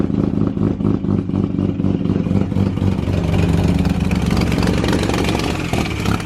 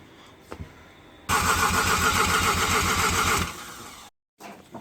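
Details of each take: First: Mazda FD RX-7 bridgeported rotary, first start-up, cold start in about 40° heat: loud choppy burble settles after a rev and idles on its own without stumbling; a bit rich but not excessive; normal idle. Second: Mazda FD RX-7 bridgeported rotary, first start attempt, alarm wiring issues and missing connector pins: about two seconds of even quick cranking with no firing; igniters and possibly injectors not getting power.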